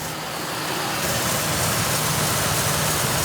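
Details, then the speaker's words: 1999 Ford F250 XL 4.6L V8 automatic with a bad fuel pump, running on fuel poured into the intake: a smooth, steady rumble with no knocks or ticks; the engine sounds healthy. "I'm going to hit the key there. See if it starts up so you could hear the engine. The engine sounds good."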